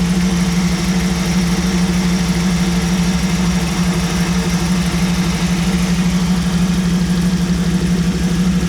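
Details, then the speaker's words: 1937 Buick street rod, new BluePrint 350 V8 crate engine in break-in, after setting the lean idle mixture screws to one turn out: steady, even low rumble at about 850 rpm, no misses or knocks; sounds better and runs cleanly. "Okay. Let's try one turn out. That sounds a little bit better. Sounds a little bit better. Still about 850."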